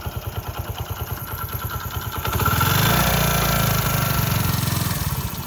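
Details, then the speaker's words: Prider 100 (CD100) motorcycle after timing chain replacement and tensioner bolt air-bleed: even idle rising smoothly into clean revs and back, no chain rattle, normal healthy engine. "आप देखो बिल्कुल bike का engine smooth है, ठीक है।"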